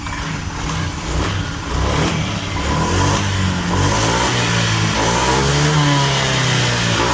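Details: Honda Vario 125 scooter, hesitating at mid and full throttle from a faulty throttle position sensor, revved during testing: engine revs up smoothly and holds steady with a clean exhaust note, no stumbling or dropouts.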